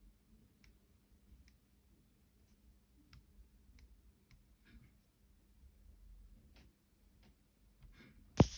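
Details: Two-day-old 2021 MacBook Pro 14-inch: sparse faint irregular ticks as the palm rest is pressed, then one sharp crack; palm rest clicking, cause unclear.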